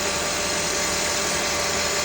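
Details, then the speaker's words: Third-generation Honda CR-V with K24 engine idling after serpentine belt replacement; a steady, even, smooth idle with no squeal or chirp from the belt, smoother than before. "Hopefully there's no squeaks. Good. Sounds good. Sounds smooth. Very good."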